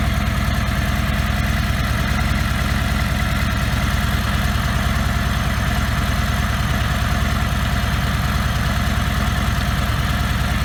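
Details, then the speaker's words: 2017 Harley-Davidson Ultra Limited (FLHTK), Milwaukee Eight 107ci (1746cc) four-valve V-twin; steady, even idle with a soft, quiet lifter tick over a lumpy rumble; lifter noise much quieter than older Harleys; normal idle. "it wasn't it was just the sound of the lifters and stuff that's much quieter now"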